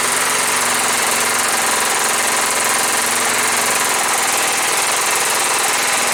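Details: John Deere STX38, Kohler Command 13 hp engine, first start after repair, choked, gas poured in carb: ragged, hunting beat around three to four per second, won't idle; owner suspects old gas.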